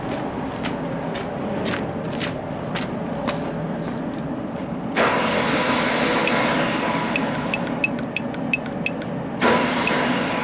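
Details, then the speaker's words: Genie boom lift next morning after a cold night, battery 12.3 V: starter whirs freely with no turnover; pull-in coil not engaging the Bendix, possibly why it died after repeated start attempts. "damn maybe that's why I died there kept kept trying to start it it didn't want to engage"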